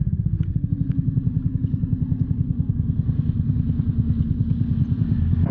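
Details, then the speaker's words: Small motorcycle engine idling: steady turbine-like whine over the thumping exhaust; one stator coil winding was found burnt black and not working, so it had to be replaced. "uno de ellos ya estaba acabado negro chamuscado tiznado como quieran decirle es decir que allá no funcionaba por lo cual toca cambiarlo"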